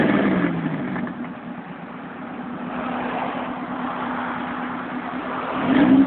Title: Jdm B16 burly exhaust leak